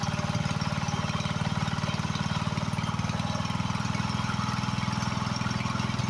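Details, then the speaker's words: Husqvarna YHT20k46 hydrostatic riding mower after swapping in a replacement engine, started with the hood closed: steady, even low chugging at a constant speed with no knocks, misses or rattles. It runs good, normal running. "It runs good."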